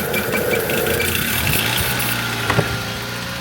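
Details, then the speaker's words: 2007 Toyota Yaris, former undercover police car, not run in over 4 years: starts then runs rough and uneven with irregular knocks, sagging and fading toward a stall; old bad fuel suspected, runs better with brake cleaner sprayed in. "going to start up the car it's going to start terribly it's starting to die"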